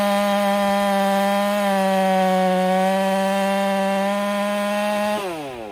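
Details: Ported Husqvarna 385 chainsaw, breaking in, tune slightly rich, cutting very hard oak: a high steady scream holds pitch through the cut without bogging, then falls off as the cut ends, running strong.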